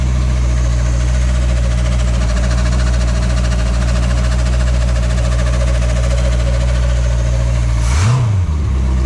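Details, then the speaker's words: Phoenix 29 boat engine, first start after upgrade (raw water pump, manifolds, risers, thermostat housing, hoses replaced; electric fuel pump changed back to mechanical), cooling water on: catches and settles into an even deep rumble, no knocks or misses; healthy. "Итак, первый запуск после апгрейда."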